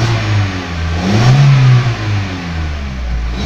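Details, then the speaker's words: VW Jetta 2.0 that had been misfiring and losing power, with the spark plugs recalibrated and a stored pump primary-circuit code judged unrelated. Revving now rises and settles smoothly, without the earlier sputter or stumble. "Vean, ya vean la diferencia de cómo acelera. De volada, o sea, escuchen cómo se oye el motor. Ya no se oye como hace rato."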